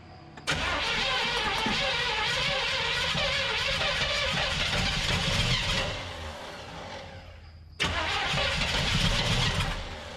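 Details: 1975 Chevrolet C20 Scottsdale squarebody, first start attempt in nine years with a Holley Economaster carburetor: steady starter churn about five seconds, a pause, then more cranking without catching; the engine isn't getting a steady fuel supply.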